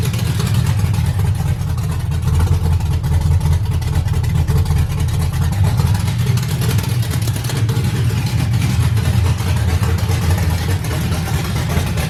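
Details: LS-swapped 5.3 V8 with stage 2 cam, first start on a new fuel system with Kemso 340lph pump: deep steady rumble with lumpy cam lope, running evenly without misses or knocks; normal idle.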